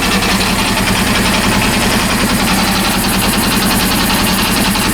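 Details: Honda CB400 engine after rebuild, running: busy, uneven clatter over idle about three to four a second; owner finds the noise strange, source unclear.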